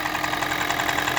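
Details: Toyota Prius 20, 1NZ-FXE engine, which also burns oil: a light, quick, regular ticking knock over a steady idle, possibly from the valve cover area; cause not yet clear.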